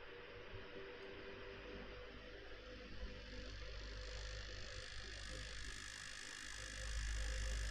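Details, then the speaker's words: New PC with MSI RTX 3070 Gaming Z Trio, CPU fans at full speed and graphics card Cooler Boost on: fast steady rattle about four per second over airflow roar; owner unsure if faulty part, system otherwise fine. "so here if I put on the CPU fans I put them on full speed right now and here if I use the MSI centers cooler boost for the graphics card you can hear the rattling"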